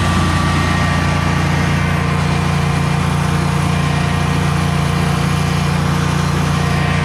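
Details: Generac Guardian 16kW standby generator running on gas after refurbishment, carrying close to 6,000 W of heaters: a loud, even drone with a steady low hum, no surging or stumbling, carrying the load cleanly without hesitating.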